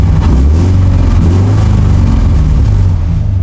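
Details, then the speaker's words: LS3 V8 drift car, just revived after sitting a while and after water froze in it, at idle: a loud, lumpy, stumbling beat that sounds like a 4-cylinder, indicating a severe misfire. "Okay, so for some reason, this thing's misfiring really bad, I just noticed. It sounds like a 4-cylinder."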